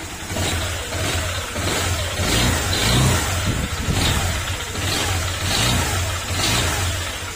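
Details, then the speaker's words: Honda Click 125 scooter engine before overhaul, revved in surges; dull knock that quickens and gets louder with throttle, following acceleration; connecting rod knock, fix is replacing whole crankshaft and block set. "Okay, sumasabay sa acceleration. Matic, ang problema niyan, connecting rod."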